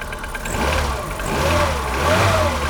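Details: Polonez Caro with Rover K16 1.4 engine, cold morning start around 0 °C: hollow clatter over the idle as revs settle; piston slap.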